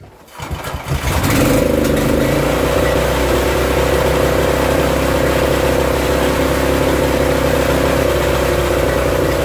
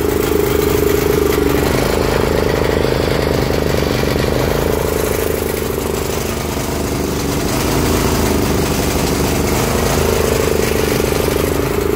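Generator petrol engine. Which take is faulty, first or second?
second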